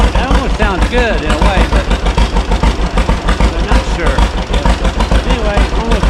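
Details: 1936 John Deere Model A two-cylinder that quit and sat three years, now running: slow putt-putt around 130 beats a minute, slightly uneven spacing, needs adjusting; rough running, cause not confirmed.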